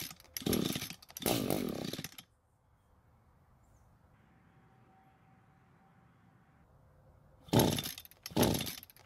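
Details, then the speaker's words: Echo GT200R two-stroke trimmer, fuel confirmed reaching the carb: two short bursts of firing on full choke, near silence, then another brief catch. It dies when partially choked and seems to want more fuel. The cause is suspected, not confirmed. "so it tried to start while it's fully choked but it didn't do anything while partially choked let's do that again and see if we get a different result so we just confirmed that it does start while fully choked and dies when it's not that means the engine wants more fuel to stay running"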